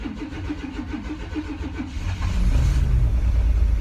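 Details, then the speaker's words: S10 Blazer after sitting five years: even cranking for two seconds then catches into a steady low rumble; clean start after replacing a dead-on-arrival new Walbro fuel pump with a Delphi pump and priming. "Yes! It worked! It runs after 5 years, it runs!"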